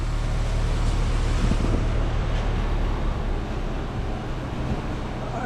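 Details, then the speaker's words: 2016 BMW 328i F30 RWD on a lift, in gear with wheels spinning, chasing a highway-speed vibration: steady low drivetrain rumble with no whine or knock; carrier bearing silent and healthy, wheel appears wobbly, possibly bent. "This carrier bearing is dead silent and spinning, but look at this wonky ass tire."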